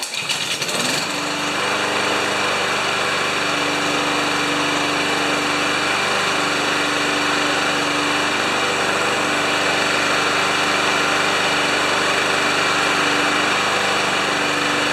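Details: Lawn Boy mower with 160cc engine, warmed up; catches and settles into a steady high-pitched buzz, fairly even with slight unsteadiness; running normally.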